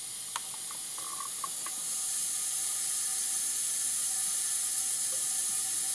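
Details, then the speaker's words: 469 big-block Chevy dragster engine in a cold leakdown test at TDC on the compression stroke. With the throttle plate cracked, a steady airy hiss comes out of the carburetor, showing air leaking past the intake valve. "so that's definitely air leaking right past the intake valve you can hear it right to the carburetor"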